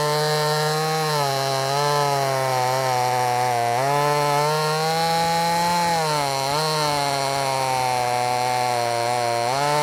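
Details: Brand new, unbroken-in Wemars 6220 clone chainsaw: strong clean two-stroke scream bogging slightly and recovering each cut, no misfire or stutter; normal running under load.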